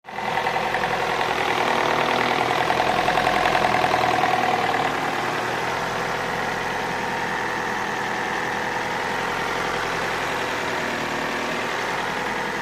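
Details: Opel Astra H petrol engine at idle with a light, fairly regular tapping near 200 a minute, heard from the rear of the engine near the ECU. Not the gears and no error codes; the knock's source is unknown.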